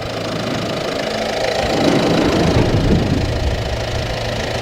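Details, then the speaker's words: 2015 Peugeot 308 1.6 BlueHDi diesel, cold start: even diesel clatter at a steady idle with no misses or odd knocks; a healthy engine warming up. "so the engine let's fire it up and let's hear heart sounds cold start of the 2015 one part six liter diesel from Persia"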